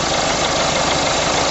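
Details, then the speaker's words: Engine idling, alternator (directly under the power steering pump) heard through a listening extension: even, steady hum with no bearing noise or rattle; fan belt tensioner not shaking much, so everything is working correctly. "I can also see the fan Bel tensioner the tensioner isn't shaking a great deal it's it's telling me that it's everything's wor everything's working correctly on this vehicle"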